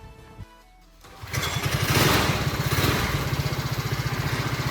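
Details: Budget go-kart engine after a performance carburettor, home-made quiet exhaust and governor delete: a few pull-cord tugs, then it catches and settles into an even, steady putter with a soft, muffled exhaust; runs healthy and very quiet.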